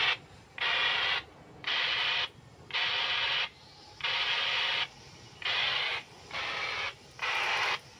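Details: RigExpert AA-230 Zoom analyzer, SWR2AIR mode, tuning a dipole from about 74 toward 100 MHz by shortening it: high beeps about once a second, evenly gapped, their pitch climbing as SWR approaches one-to-one.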